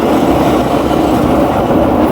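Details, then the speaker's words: Daewoo Air Bubble 4D 19 kg washing machine at high-speed spin: loud steady rumbling roar and knocking, no fault code; likely worn drum bearings and seals, transmission damage suspected. "hace mucho ruido Este no nos manda ningún código de falla y todo parece indicar que es daño en baleros"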